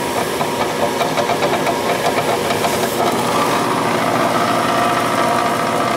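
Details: Gas furnace with no heat that fires and then shuts off: a loud, harsh roar with rapid rattling knocks while the inducer runs. It sounds loose inside; a bird in it or an unbalanced fan blade is suspected, not confirmed.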